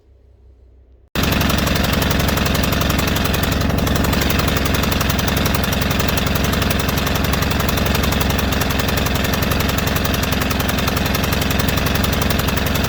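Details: White Outdoor LT542G riding mower that was running rough and erratic, using a lot of fuel and putting gas in the oil: a loud, steady pulsing run that doesn't change from slow to fast throttle. The engine is lean from a missing carburetor main jet.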